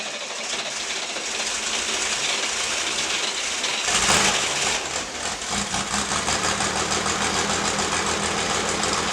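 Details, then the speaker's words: 1960s air-cooled flat-six project car after carburettor adjustment and reassembly: the starter churns the engine over for several seconds with a steady beat but it never fires. Cranks but won't start. "Check our work, and then we'll start it up and see if it idles any better or at all. Now it's just not going to start."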